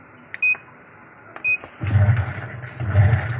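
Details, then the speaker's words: Sharp washing machine that wouldn't spin dry, reassembled after repair: two short beeps at power-on, then the motor hums through agitation strokes in both directions; washer running normally. "Rồi đảo hai chiều nha mọi người. Giờ là máy đảo hai chiều rồi đó."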